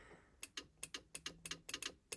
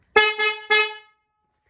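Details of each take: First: 1977 Chevy Camaro horn: sharp paired relay clicks with each press of the horn button but no horn tone; relay getting power, horn itself suspected bad, before fixing. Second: 1977 Chevy Camaro during restoration, horn check: three loud, clean honks with a strong, steady two-note tone, then a softer blast; the horn sounds strong and healthy.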